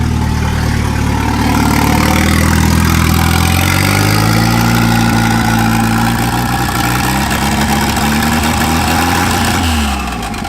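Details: Turbo wagon running on a newly wired Microsquirt standalone harness, ignition timing fixed at 10 degrees, intercooler piping unfinished, just started: loud, steady running with a low even beat, settling after a brief rise in revs. Normal idle.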